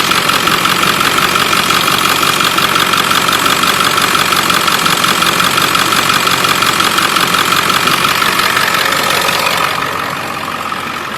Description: 7.3 Powerstroke tapping/ticking uppipe exhaust leak